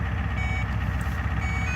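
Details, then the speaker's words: Diesel truck with a vegetable-oil fuel controller, switching over to oil: repeated high-pitched beeps over a steady low idle while the pump slowly builds fuel pressure; the controller warns until pressure passes its 6 psi threshold. "So right now it's beeping and that pressure's climbing slowly."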